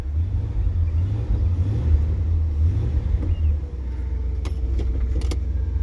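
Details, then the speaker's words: 1968 Ford Galaxie XL convertible, 390 4V V8 with C6, first start after being brought home: deep rumble that surges and sags unevenly, then drops to a lumpy idle; owner says it has carburetor issues. "it starts again I was beginning to wonder it's got some carburetor issues"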